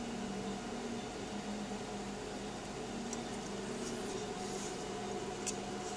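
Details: PowerMac G5 (A1093, single-core 1.8 GHz) won't start: fans roar at a constant full-speed whoosh with no change or startup sounds; cause was RAM banks not filled in pairs, and it ran again once corrected.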